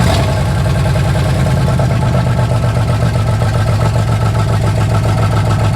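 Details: Jeep 4.0 L6 after cheap overhaul, reinstalled, distributor re-timed after being one tooth off: settles into steady, even quick idle low rumble with no knocks, misses or stumbles; firing cleanly.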